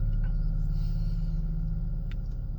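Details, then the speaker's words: 2007 Ford Escape Hybrid that started then stalled with a stop safely message, hybrid battery pack below 2% charge, now recharging at 23.6 after repeated starts: low, even rumble without knocks or surges; keeps running normally. "So right now it's been charging and it's at 23.6 now, and I guess it's just running."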